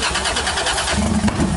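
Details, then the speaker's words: Lexus IS300 with a 1JZ-GTE engine on a start attempt: brief starter cranking with an irregular rumble and a sharp backfire pop that shot a flame; the engine does not catch and run. "Dude, that backfired! Holy shit!"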